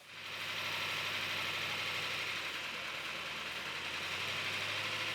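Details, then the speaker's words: Rebuilt original numbers-matching engine at first fire-up, 80 psi oil pressure, warming toward operating temperature: starts and settles into a steady even idle with a bright consistent exhaust note and no clear knock; healthy normal idle. "That is amazing. That sounds awesome, man."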